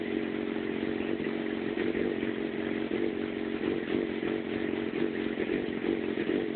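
Four-cylinder bike idling unevenly, with the beat stumbling and the level wavering instead of holding a smooth steady putter.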